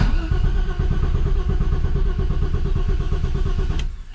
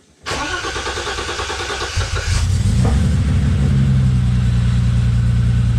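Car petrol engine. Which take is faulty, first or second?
first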